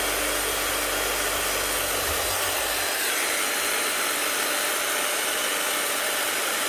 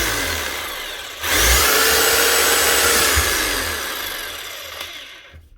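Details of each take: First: Bosch GSH11E hammer test-run with brushes worn down to the leads: steady high-pitched whir with a crackly edge; worn brushes arcing on a worn armature, sparks, slight smoke, getting hot. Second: Bosch hammer retested after replacing a burnt-out armature: motor spins quickly up to a smooth even high whine and coasts down cleanly, no rattles or grinding; running right.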